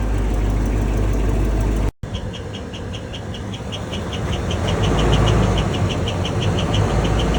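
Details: 8.1L 8100 Vortec V8 in a 2004 Holiday Rambler RV, 60,000 miles, warm idle: sharp chirp about four times a second; quiet at startup, appears after about 5 minutes warm-up, slightly quieter at higher rpm; no visible exhaust leaks.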